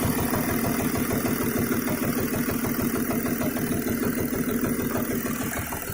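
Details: VW Touareg 3.0 TDI (CASA): lost power on highway, vibration at 2000 rpm, then rough uneven idle with vibration through the body; lumpy diesel idle with heavy regular knock about three a second, origin unknown.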